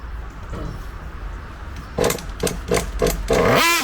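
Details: Kyosho MP9 nitro buggy engine being tuned by ear and smoke trail; sharp buzzing blips rising and dropping cleanly without bogging or sputter, high-speed mixture set right before being leaned too far.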